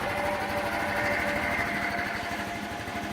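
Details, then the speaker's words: Honda Elite scooter, idle adjusted down a little (previously set around 1500 rpm with a tach), started and idling: even, unhurried putter with soft buzzy top, no misses or knocks; starts well, needs a little gas; normal idle. "still starts up really good. Needs to get a little gas to get everything going."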